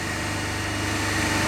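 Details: Three-phase induction motor coupled to DC compound machine, running unloaded with a switch opening the third phase (zero current there, about 5 A in the other two): a steady low hum with strong buzzing undertone, single phasing.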